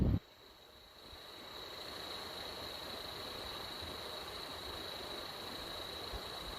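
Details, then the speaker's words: PS3 Slim fan run on a bench supply at about 6 volts: steady airy hiss, a thin high whine and a faint rough scratchy grain from the bearings scratching. "But sometimes you can hear really how the bearings are scratching a little bit. Okay, sometimes they make some noise like, and this is not my fingers."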